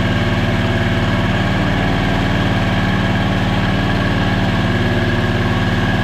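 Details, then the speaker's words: 670cc Predator V-twin in an E-Z-GO TXT golf cart, first fire-up, about two minutes into break-in at held fast idle: steady deep fairly quiet drone, even firing, no knocks or rattles; runs normally. "uh the noise is good I like that it's kind of quiet"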